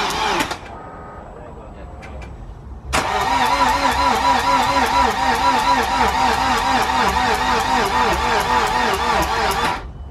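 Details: BMW N47 diesel, first start after timing chain replacement and reinstallation, ignition cycled to prime fuel: short crank, fires at about three seconds and settles into a steady, even clatter at idle; normal start.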